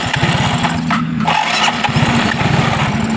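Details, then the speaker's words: Yamaha Mio Soul GT being tested with the fuel pump outside the tank, dipped in petrol and run on a known-good fuel pump IC: the small single fires straight up with a quick, even putter and no misses; starts and runs normally. "Wah, motor hidup langsung, Teman-teman."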